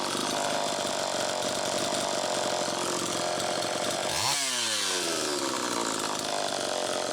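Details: Homelite Super EZ chainsaw after crank seal replacement, slightly flooded on restart; high screaming idle won't come down, one brief dip and recovery, idle speed screw far out. Still a lean air leak.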